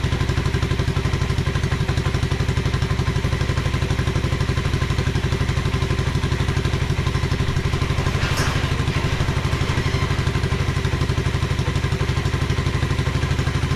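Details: 1986 Honda Fourtrax 125 ATV, single-cylinder, test fire after carburetor cleaning: steady even low thumping, no misses, rattles or hunting; running cleanly.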